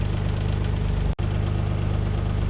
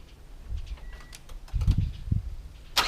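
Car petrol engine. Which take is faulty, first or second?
first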